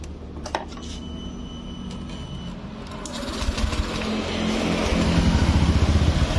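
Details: 2019 Honda Beat Street scooter with smoky exhaust and constant oil loss: fast, light tick about four a second rising with revs; top-end noise, which softened when the cam chain tensioner was turned, pointing to the tensioner.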